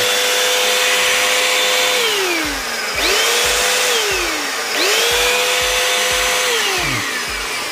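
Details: Jaco EZ Hoover Turbo JC333 vacuum cleaner (220–240 V), final test after bearing replacement with all screws tightened: motor whine spins up and winds down several times, pitch smooth, no grinding or rattle. Normal running.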